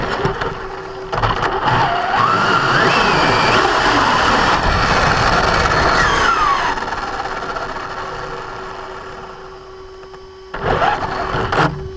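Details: Brand-new Basher Nitro Circus 4x4 1/10 RC truck on a 3S 4000mAh battery: motor whine rises and falls with throttle, with a harsh rasping grind on acceleration only. Not in reverse or off the ground. Gear mesh adjustment didn't fix the drivetrain grinding.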